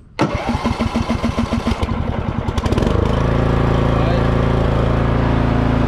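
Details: Troy-Bilt TB30R manual riding mower started in neutral with the foot on the brake and throttle at fast: three seconds of quick, even cranking, then it catches and settles into a steady, smooth run. A clean start.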